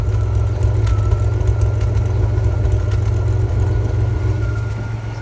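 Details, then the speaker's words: Ford F-series highboy truck with a freshly fitted V8 and gearbox, replacing the old engine that threw rings and leaked oil: deep steady, even lumpy idle with no knocks or ticks; runs fine, carb and timing still need tuning. "let me just let you hear how she sounds because people might i still need to chew in the carb and the timing a little bit but bear with me"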